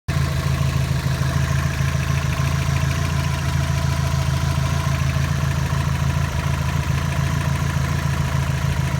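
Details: 2002 Subaru WRX hybrid idling after oil pressure dropped to zero and the oil cooler lines were removed and oil refilled: a dull, uneven low knock under the engine note. Owner suspects rod knock, not confirmed.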